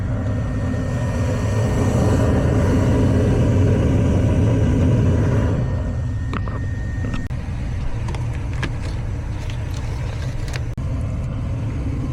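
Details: Gas furnace after replacing a diesel-sounding inducer motor on a no-heat call, pressure switch closing and burners lit: steady low roar of burners over an even inducer hum, then a few light clicks; firing normally.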